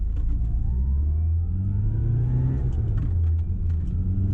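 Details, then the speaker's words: 1990 Mini ERA Turbo (head gasket replaced) on a road test: steady, deep engine drone pulling evenly under load with no knocks, misses or rattles. The engine sounds healthy. "so I'll shut up and you can listen to the lovely sound of the air or I engine"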